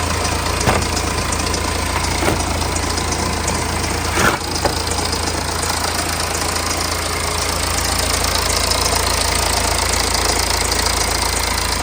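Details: BMW N47 diesel, over 130,000 miles and probably on its original timing chain, idling with a harsh, busy metallic rattle over the diesel clatter from a badly worn timing chain.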